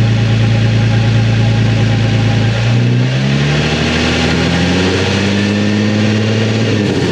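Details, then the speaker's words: Nissan 350Z with Tomei exhaust after repairing the broken exhaust: deep idle burble, revs rise and fall smoothly, slight burble on lift-off put down to back pressure, no leak puffing; exhaust sounds healthy. "Sounds good. I kind of hear it. Sounds a bit queasy at the end, but that's just the end of the exhaust, yeah."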